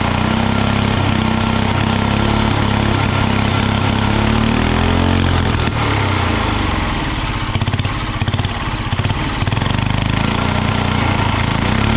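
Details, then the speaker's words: Original engine of a 1960s Trojan mini tractor, first run after about 40 years stored and an ultrasonically cleaned carburettor: loud thump that surges and stumbles unevenly, dipping midway; runs rough. Carburettor setup and proper fuel tank still needed. "so we have it running it's not running amazingly but we have it running"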